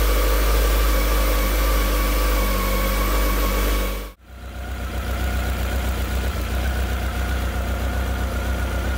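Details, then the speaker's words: Honda CB1300 after a full rebuild, cold start: steady, even idle with a smooth low beat and only very slight tappet ticking; the engine runs happily and no oil leaks are visible. "Well, it seems to be her ticking over nice and steady now. Seems to be quite happy. Very slight tacketing, not not overly, not greatly."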